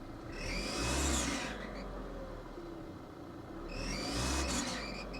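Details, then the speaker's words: Quiet idle, then a shrill scream like nails on a chalkboard rising and fading with each throttle blip on a 2014 Kia Forte EX that otherwise runs perfectly after a drive; cause not yet found. "there it goes yep there it goes oh my goodness Nails on a freaking chalkboard this car sucks well I made it back and it runs perfect it does it runs absolutely perfect but you so much as blip that throttle listen to it"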